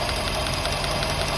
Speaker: You hear it? I can feel the clicking. Tick, tick, tick, tick, tick, tick, tick, tick. I can feel it on the coil.